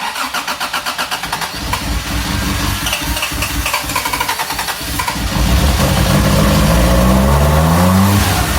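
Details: 1987 Toyota Tercel 4WD DLX with swapped 4A-C engine, first start, gas poured down the carb, distributor timing not yet set and water pump unhooked: quick starter chuffing, then it catches and revs unevenly with a lumpy, unsettled note.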